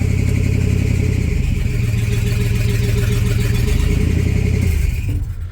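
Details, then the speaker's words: 1978 Chevrolet K20 V8, revived after sitting for years, on test drive: revving with a thin steady squeal from a way-loose alternator belt slipping, its top-bracket tension bolt not tightening all the way; still spins the alternator and charges. "yeah so I know it's the alternator belt because oh no I need you because the alternator the bolt that holds the alternator tension on the top bracket wasn't tightening all the way so the alternator built is way loose"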